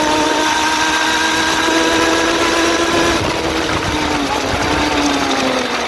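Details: Suzuki GSX-R400 (RL) motorcycle engine revving steadily: light, fast ticking under mechanical whir; owner suspects valve shims or timing chain, source unclear.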